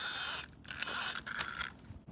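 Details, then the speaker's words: Axial Ryft RC crawler with a Castle motor system, front sway bar link loose, crawling over rocks: light, steady electric motor whine under tyre scrabble and rock scrapes; normal. "castle system we're going to hear a little bit of wine right here"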